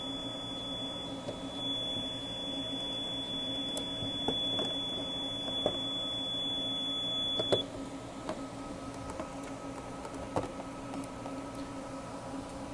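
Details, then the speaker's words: APC Back-UPS ES (BE750G) gives a high, steady alarm beep while its battery is disconnected during battery replacement; the tone stops once the new battery is connected. "You will hear a beeping sound from the UPS. That is because the Back-UPS is sensing that the battery is disconnected."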